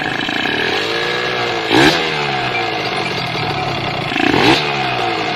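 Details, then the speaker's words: Used 2013 Kawasaki Ninja RR two-stroke motorcycle: rattly idle with loose clatter louder on each throttle blip; judged worn piston, worn cylinder liner and damaged crankshaft bearings. "karena di sini sudah terdengar sekali yang pertama suara piston yang kedua suara silinder blok linernya sudah aus dan yang paling parah suara askruknya juga sudah kena"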